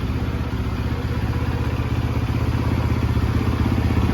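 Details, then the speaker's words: Rebuilt 2013 Yamaha YZ450F with a replacement head, through four heat cycles and idling to break in. Steady, even thump at about four beats a second with no knocks or rattles: a healthy idle. "Sounds really good though."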